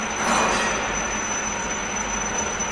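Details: CNC machine: steady piercing high tone over shop hum, the lubrication fault alarm sounding after the lubricant system failed.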